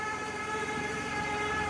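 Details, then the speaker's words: 2011 Toyota RAV4 V6 FWD running: steady high whine holding one pitch over the engine, transmission suspected of pump whine and shifting poorly; engine oil was changed but not the transmission fluid. "you can hear the transmission whining um it doesn't shift very well"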